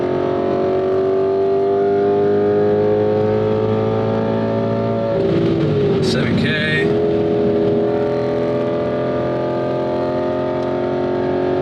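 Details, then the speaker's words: Audi B7 S4 V8, accelerating on the freeway: smooth pull at high rpm, then about five seconds in the drone breaks up with a rough, stumbling shift; known shifting issue, owner expects transmission replacement. "See, there's our tranny a little bit."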